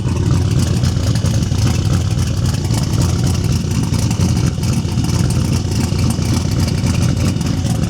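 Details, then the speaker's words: Turbo single-cab truck just started after the Holley digital dash fix, still cold, mic about 20 ft behind the camera: deep, rumbling engine runs strong and even, low throb dominating, no knocks or rattles. Sounds healthy under revving. "I'm probably 20 ft behind the camera right now with the mic and just going to see how it sounds from back here. Thing sounds amazing."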